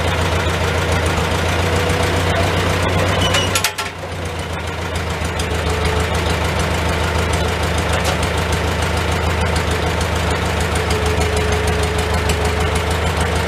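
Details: Old Farmall tractor started on choke, in neutral, idling inside a tight, smoky shed: low, steady idle with even, lumpy beat and no knocks or misses; normal idle.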